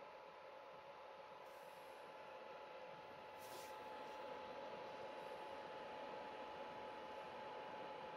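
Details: PS4 console: quiet constant airy rush with a thin steady tone; owner doesn't want to replace it; fan sounds loud and strained, cause unknown.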